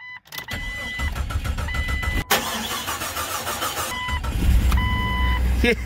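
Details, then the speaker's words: Police-model Jeep Cherokee XJ, dead for six months, first start on a cold day after replacing a failed crankshaft position sensor: starter churns briefly, catches and settles into steady, even idle with no misfire. "started right up all right that is great guys that is great"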